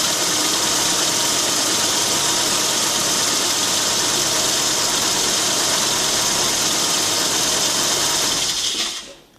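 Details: Car at idle, alternator belt wet with moisture from engine washing: loud constant high-pitched squeal until shutoff; slipping wet belt, fixed by spraying WD-40 on the belt's inner side.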